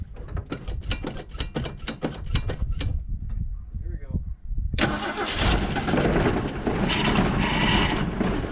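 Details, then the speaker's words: Mercury Comet barn find after winter storage, being revived with fuel line work at 37°F: starter churns the engine steadily about three seconds, briefly catches and roars on poured fuel but hasn't yet picked up gas from the tank. "all right it hasn't quite picked up gas yet"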